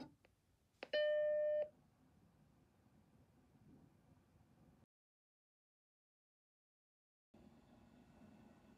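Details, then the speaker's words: Macintosh computer after replacing its noisy fan with a new one: startup chime, then only a faint even airy hiss, much quieter than the old fan; normal quiet fan. "yes this thing is quiet i mean like you can still hear it but it's a lot quieter than what it was wow"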